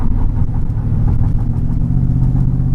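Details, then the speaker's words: Mercedes-Benz E55 AMG W210 with Kleemann 55-K2 supercharger kit, idling stationary at traffic lights: deep, lumpy idle stumbling and surging unevenly, whole car wobbling; multi-cylinder misfire since kit install, traced to faulty Bosch F5DC spark plugs. "yeah you can hear the car is not running right at all even there at the traffic lights as well when we're stationary and the car's idling the whole car is wobbling because obviously the the idle's not running correctly it's not firing"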